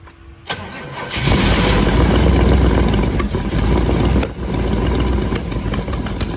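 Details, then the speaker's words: 1932 Ford Model B roadster, 383 V8 with newly fitted EMPI carbs on Pierce 8-stack intake, after a first timing change: long crank into an uneven, surging lumpy idle; ignition timing still off, to be moved one spot around, carbs need syncing. "timing is definitely still off so we're going to have to adjust the time it again"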